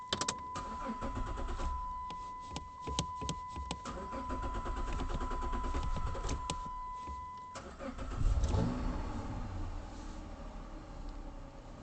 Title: Hard start - 2007 Dodge Charger